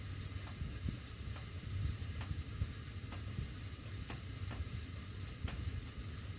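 Sharp, slightly irregular ticks, about two a second, over a low rumble of moving air; the heating ductwork ticks as it runs, cause unknown.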